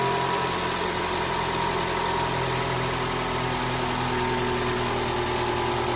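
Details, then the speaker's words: 2012 Toyota Camry, 2AR-FE 2.5 L engine, after replacing the VVT-i intake gear spring to fix a cold-start rattle: smooth, even idle with steady low hum and no rattle or ticking; normal idle. "All right. So, the car is running right now. So, you didn't hear that rattle."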